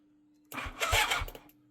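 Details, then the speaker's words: 1987 superbike abandoned 16 years, 8 outside, carbs needing stripping: quiet hum, then about one second of starter whirring with a couple of chuffs, turning freely but not firing; cause unconfirmed. "Yeah, I got no qualms with turning it over because it's not going to do any more damage than is already pre-existing on it."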